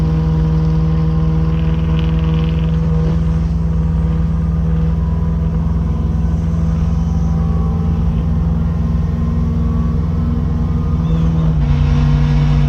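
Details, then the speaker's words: 1979 Chevrolet Caprice on a test drive after getting back on the road: a steady deep droning hum over road rumble that comes only on light throttle and goes away off the gas; owner suspects the exhaust, unconfirmed. "sound is still there thank you I don't know it's only when you're barely on the so that's the sound I'm talking about goes away if you let off the gas I still really kind of think it's the exhaust though"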